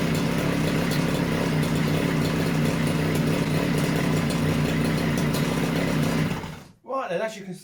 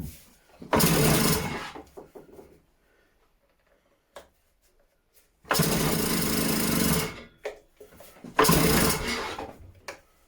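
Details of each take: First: Stihl disc cutter, newly acquired, two-stroke started cold on choke; steady buzzy high idle holding evenly before cutting off, running fantastic and healthy; service with new air filter and plug still planned. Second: Stihl disc cutter, first start attempt on choke: three long rasping recoil pulls of about a second each, with no firing pops; the engine turns over but won't catch, though it later fired straight up.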